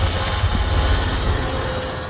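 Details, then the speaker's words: 2001 Dodge Ram 1500, hood open, idling: high chirping squeal in quick bursts over the engine, present at start and while running despite already replaced belt tensioner and pulley; idler pulley and maybe serpentine belt suspected, not confirmed. "Here's the squeal. We already replaced the actual belt tensioner right there, and that pulley."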